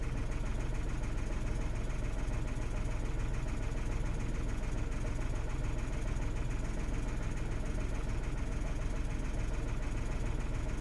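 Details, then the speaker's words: 2016 Renault Twingo 1.0 three-cylinder with something disconnected during repair, warning light fault, no codes or misfires read; low idle beats about three times a second with uneven lumpy throb; running a little rough at idle. "I have all of the disconnected so the car is running a little bit rough at the moment but I want to sort these out before I put everything back in"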